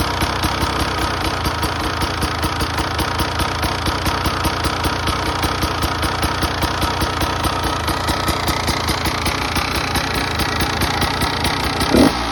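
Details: 2017 Beta 300RR two-stroke at idle with a fast, even rattling knock on the idle beat; piston slap suspected, not confirmed.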